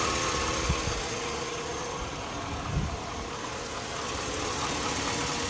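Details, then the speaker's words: 2002 Chevy Avalanche 1500 5.3L V8, warm idle: a fairly quick uneven knock on the right side, diesel-like and getting worse over a year. The owner compares it to a Ford F-150 cam phaser tick; cause not pinned down. "[Music] got a pretty good knock I don't know whatever that is if you guys know what that noise is it's warmed warmed up"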